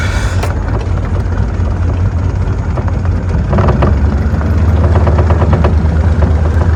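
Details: Mercury 90 two-stroke outboard under way after cold no-start fix, carburetor air-fuel screws set richer at 2 turns out: steady deep drone, even beat, no misfire or stumble; healthy running.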